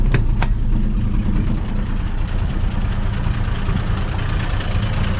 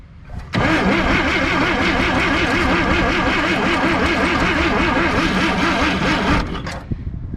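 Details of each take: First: 1958 Chevy Apache running after 20 years sitting, no muffler, oil pressure about 40 psi at idle, slight electric tick noted. Loud, deep, throbbing idle holding steady with an open-exhaust bark; runs evenly. Normal idle without muffler. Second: 1958 Chevy Apache, first start after 20 years sitting, choke locked up. Starter cranks at an even rhythm for about six seconds without one catch, draining the battery. Crank, no start; owner believes it's no longer getting spark.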